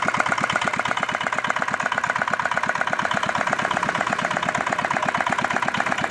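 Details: R180 single-cylinder diesel after crankshaft and bearing replacement, rebuilt again with new parts and run outside: crisp, evenly spaced thumps at steady idle with no knock or stumble; running healthy.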